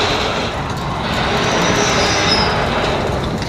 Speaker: Here are three clever tricks to get rid of that awful sound.